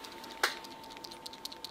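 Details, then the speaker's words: Rebuilt Solex fuel pump with the plug and copper seal refitted, being shaken; light scattered clicks as the check-valve balls rattle freely, as they should. "naturellement les bides of grelotter alors c'est le cas"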